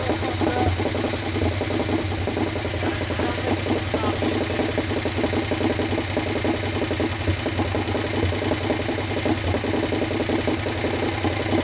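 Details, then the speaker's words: Harley Sportster 1200 V-twin, swapped in after sitting outside full of water, first start without rebuild: rough idle with light quick tick on each firing pulse; old Sportster tick, top end thought dry after oil poured in, expected to clean up. "I think sounds good. Even with the tick, it was like it hit. I think it'll clean up."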